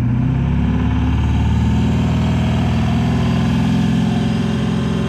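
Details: Ford 7.3 PowerStroke diesel, which also shows blue smoke at full throttle: deep idle with an uneven, lumpy beat and a stumble every few pulses instead of a smooth chug; misfiring at idle, cause unknown.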